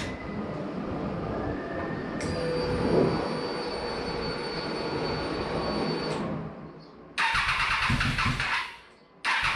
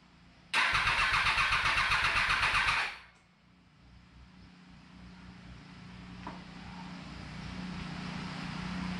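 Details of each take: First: Motorcycle's first start after its fuel pump was rebuilt and the battery charged, with the pump heard priming: the engine catches after a brief crank and settles into an even idle with a steady high whine and no knocks. Normal start and idle. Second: 2020 bike after reassembly with newly changed fuel pump; starter spins at a steady quick rhythm for about two seconds but never fires; crank no-start, owner suspects fuel pump as no prime was heard.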